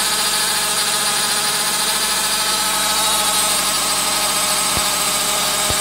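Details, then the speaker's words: 2009 Nissan Cube CVT, 195,000 km (about 120,000 miles), idling after overfilled, dirty fluid was drawn off: constant high whine held steady in pitch above the idle; suspected CVT pump whine, later fixed by cleaning filters and fresh fluid. "I'm gonna go ahead and start it up and we'll listen whether my pump line is still there now that I've drawn off the extra fluid"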